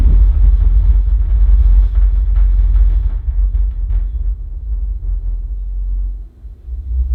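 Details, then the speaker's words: Compact subwoofer (transcribed as "aama"), about $200, with an 8in driver, bass-reflex cabinet and 100W class D amp. Deep bass thumps carry a buzzy rattle from poor cabinet construction, and the driver buzzes loudly during heavy bass scenes. "did you hear the rattling sounds coming from this subwoofer during this test believe it or not the rattling noises are caused by the poor cabinet construction for this subwoofer and there's also a problem with the driver producing a loud buzzing sound during heavy Bas scenes"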